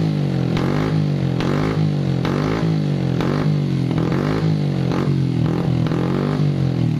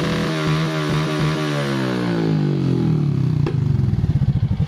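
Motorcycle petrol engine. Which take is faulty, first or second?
first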